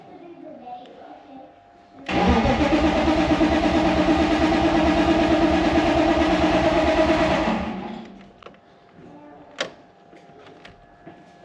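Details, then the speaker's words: BMW E46 cranking after a new fuel pump was fitted (seller said the pump was the only fault): starter churns about three beats a second for five seconds, never fires, and the pump can't be heard; a blown fuse was then found. "The thing is, I can't hear the pump. That's exactly what I'm saying. Maybe we should check fuses."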